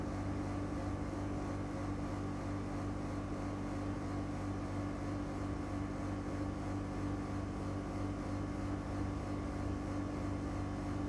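A constant loud droning hum with a steady low whir never lets up; this window unit runs noisier than it should.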